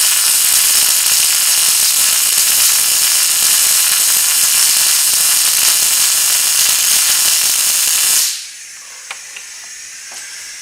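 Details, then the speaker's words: Riland MIG-2000T multi-process MIG welder turned up to 30: about eight seconds of steady hissing, crackling arc that cuts off; weld did not penetrate as wanted, wire speed seemingly too fast. "that kind of half ass welded but it really didn't penetrate like we wanted it to"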